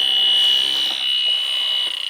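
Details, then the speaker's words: 2010 York AC system flat of refrigerant: the electronic sniffer gives a steady shrill alarm, pulsing faster, at the indoor evaporator coil's distributor tubes. There were no hits outside, so the refrigerant leak is at this three-ton coil, which needs replacing. "definitely right there hear it so i think that's where our problem is i didn't get any hits outside"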